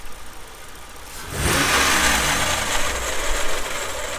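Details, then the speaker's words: 1992 Dodge Stealth, 3.0 V6 front-wheel drive, with a rough-idle complaint: a harsh metallic grinding swells as the engine cranks and catches, the starter grinding on the flywheel. "he that that's the started grinding on the flywheel okay that's the started grinding on the flywheel"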